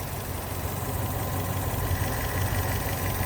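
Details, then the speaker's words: Fiat 500 1.2 petrol, 5-speed, about 95,000 miles, idling with a low, uneven puffing tick. An exhaust blow was traced to a leaking exhaust manifold gasket. "there's an exhaust blow we've just figured out what it is sounds like a a bath"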